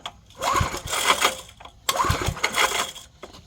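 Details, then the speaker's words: 1970s Briggs & Stratton 4hp flathead on an air compressor, revival attempt: two rope pulls with quick uneven chuffs, never fires; cranking no-start, owner suspects compression still too low. "joke right here I I think the compression is still too low to fire"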